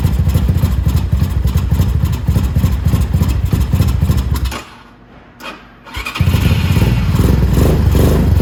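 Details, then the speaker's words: Small motorcycle (250 or 125, the X2) that idles and then shuts off: a cold engine gives a lumpy, uneven idle that sags almost to stalling, then picks back up. Suspected low idle speed, vacuum leak or dirty jet. "okay so now See's about to die again and this right now is just because it's cold a little bit so let's that to warm up first"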